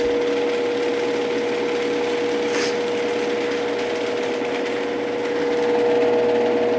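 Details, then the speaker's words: GX9000 garage door opener on the full rail, running the door down: steady motor hum with a fast, even rattle of about four per second as the rail chatters a lot against its mounts. "the rail chatters a lot"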